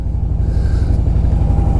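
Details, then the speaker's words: 2007 Harley-Davidson Softail Deluxe 96 ci Twin Cam, after replacing faulty compensator with a compensator eliminator: deep, even V-twin lope, no clatter or knocking; normal running, previous click-clank gone. "could tell already oh this runs like a completely different bike oh man oh man"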